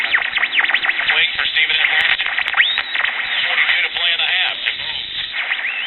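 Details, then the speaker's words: Early-1960s Bulova pocket transistor radio powered directly: local stations come through buried under sweeping squeals, whistles and warbling. The radio is oscillating; the transistors are likely fine and the old electrolytic capacitors are suspected. "we're receiving all of the local stations but as you can hear a lot of oscillation and other undesirable effects going on here"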